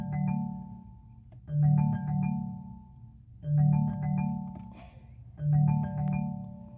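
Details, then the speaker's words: 2019 Chevrolet Malibu with the engine off: the infotainment plays a melodic ringtone about every two seconds that won't stop after an incoming call failed to connect; ringtone stuck ringing. "doesn't want to turn off so that's what's going on with it it just keeps on making that making that noise it was when I received a phone call"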